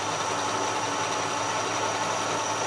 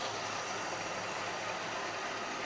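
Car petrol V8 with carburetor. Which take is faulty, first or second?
second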